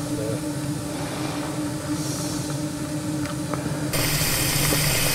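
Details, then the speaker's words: Merlin, a 12-inch gauge 0-4-2 tank steam locomotive, raising steam: blower directs steam jets up the funnel to draw fire draft, steady hiss growing louder and brighter as blower opens; normal. "directs jets of steam up through the funnel to create the draft now that's sucking the heat and the smoke from the fire taking it through the tubes"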